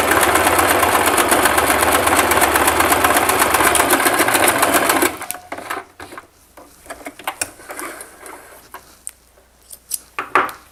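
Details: Singer Simple 3232 (also called 3252) sewing machine sewing a wide zigzag at stitch width 5: brisk, even clatter at about four stitches a second for five seconds, then stops; running cleanly.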